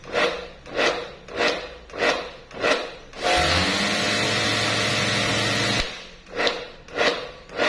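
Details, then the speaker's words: Pressure washer after trigger release: motor surges in short bursts about every 0.6 s, runs steadily a few seconds, then resumes pulsing instead of shutting off; pump-side leak hitting the pressure switch suspected; motor cycling on and off. "นี่คืออาการกระตุกนะครับมันไม่ขาดกันนานๆนะครับผม"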